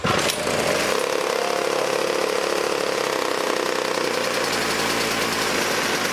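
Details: 1980s Toro two-stroke snowblower, choke on, after locking nut fitted on recoil side to stiffen motor: catches at once and settles into steady high buzzing run with no misses or knocks; running normally.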